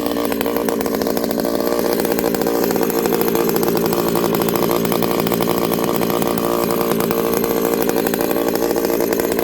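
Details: Ported Homelite 922 chainsaw after clutch fix, new fuel line and cooler heat range plug: high, even two-stroke scream held steady ten seconds with no misses or surging; normal running.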